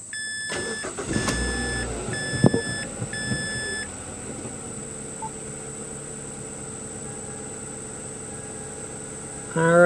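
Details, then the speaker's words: 2005 Mazda 3 after fuel pump and tank replacement, with the fuel pressure gauge connected: a few chimes, then a quiet, steady, even idle with no stumble or surging, fuel pressure around 56 psi and later stable at 51 psi; normal idle. "so we are running that looks like around 56 psi with the new minimum"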